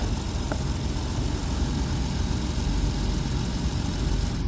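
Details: Jeep Wrangler Sport that cranked but would not start, running after a blown fuse was replaced: steady, even low idle rumble with no knocks or misses; normal idle.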